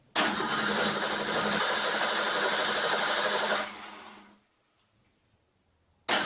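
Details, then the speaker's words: First start of a 1989 Ford Ranger engine swapped into a 1987 Ford Bronco II: engine catches at once, runs evenly for a few seconds, shuts off and restarts cleanly; normal start. "Okay, here's the first start with the Ranger engine in the Bronco."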